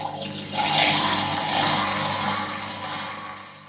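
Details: Whirlpool dishwasher that stopped mid-cycle with fault code 4 (four start-LED blinks, drain fault), after clearing the blocked drain pump, run with door open: strong rush and gurgle of water for a few seconds then clean stop; draining freely, normal.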